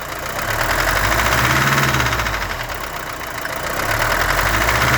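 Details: Mercedes-Benz W123 200D diesel idling: steady fairly even knock around 220 a minute over normal clatter; car runs fine, owner suspects glow plugs or worse (cam, crankshaft, rod bearings), cause unknown.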